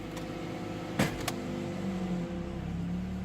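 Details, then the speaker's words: 2005 Toyota Matrix, 260,000 km, idling: after a couple of sharp clunks shifting into park, the idle hum shifts and a tone wavers near 200 Hz, sounding normal again in neutral; cause unclear. "one thing I have noticed running the car is that when we put it into park bad acts pretty funny"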